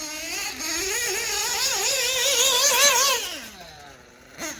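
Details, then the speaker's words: OPS Speedster Power .21 nitro RC engine, head clearance checked and adjusted, on the track: shrill engine winds up crisply, holds high revs cleanly and drops away smoothly; healthy running, its best yet, with good bottom end. "but generally speaking I'm liking it uh the Ops Speedster power is running the best it ever"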